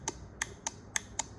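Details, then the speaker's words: Welpro welding machine control board after restoring power to the relay: crisp, evenly spaced clicks, about six in under two seconds. The relay is pulling in normally. "The relay will make a loud noise. You can hear it."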